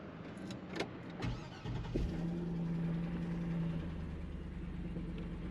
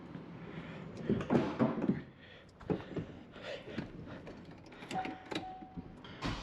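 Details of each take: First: 2006 Chevy Silverado truck that stays running with the key off and runs poorly. A few clunks, then a steady low idle that carries on rather than dying, only finally shutting off. Run-on. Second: 2006 Chevy Silverado truck that stayed running with the key off. After a jumper wire runs from the suspect ground to the battery ground, it cranks, catches and holds a smooth, steady idle, then shuts off properly. Normal running.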